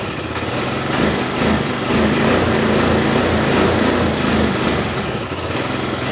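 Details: Yamaha Mio 125 carburetor scooter with a trouble code stored: under throttle the engine buzzes but only swells slightly, never climbing into a proper rev; damaged wiring was found, and the fix involved disabling the electric choke.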